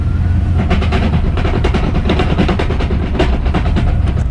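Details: Budget turbo Fox-body Ford Mustang of about 500 hp. Loud, dense, rapid, uneven metallic clattering over the engine suggests damaged gears inside the gearbox; suspected, not confirmed.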